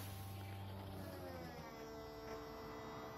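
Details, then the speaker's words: BMW 1 Series E88 convertible, used purchase: hydraulic roof pump growls with a dull, deep, straining hum during the opening cycle; the roof stops partway and stays stuck, cycle never completes. Cause suspected, not confirmed. "voilà là vous entendez ça grogne le bruit est assez sourds"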